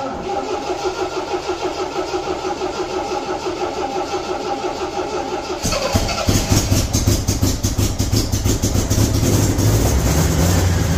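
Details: 1975 MGB four-cylinder: about five seconds cranking, then catches and runs evenly, picking up cleanly; firing on all four cylinders; normal running and revving.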